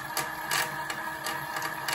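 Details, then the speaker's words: 24 V electric bike in low mode, a comparison bike on the same battery; smooth, even mid-pitched hub motor whine with a light regular tick, instant takeoff without hesitation, normal. "and so I mean that just sounds like like instant power don't sound like there's any hesitation"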